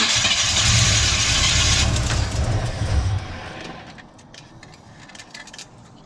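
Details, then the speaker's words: Big-block Chevy V8 in a truck, not run in years, timing untouched: loud cranking catches and the engine roars up then settles, firing on fuel poured into the carburettor. "we made sure we filled the carburetor all the way up and man I tell you what she fired right up"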